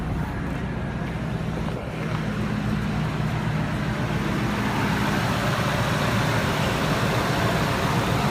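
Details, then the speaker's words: 2000 Ford SVT Lightning supercharged V8, started in neutral, heard from outside: strong even rumble with steady supercharger whine, no knocks or misses; sounds normal and strong. "hopefully you can hear it all right sounds normal sounds good sounds strong can here the supercharger wor"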